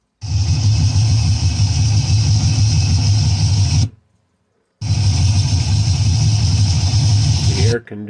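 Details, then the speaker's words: 1958 Chevrolet Corvette 3-speed V8 with 4-barrel carburetor, listening at the engine: deep, steady rumble running even and strong, no misses, knocks or rattles; sounds sweet, normal running. "So let's listen to the engine here. And then we will get to the exhaust. You got to hear the exhaust on this thing. Oh, it sounds sweet."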